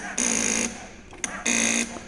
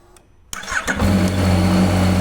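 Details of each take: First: Yamaha XSR900 pressing starter: two short bursts of harsh high buzzing from the starter relay chattering. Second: Yamaha XSR900 with a strange start noise from the starter relay: with a jumper fed to the relay it clicks, cranks briefly, fires and settles into a steady, even idle; the relay sticks and feeds current directly to the starter motor.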